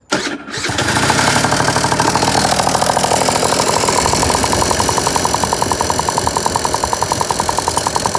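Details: Piaggio NRG two-stroke scooter with new 70cc big bore kit, new crank and crank bearings: fast, sharp metallic tick about three or four per second over buzzy idle, seemingly top end; head checked, piston not hitting, cause not found.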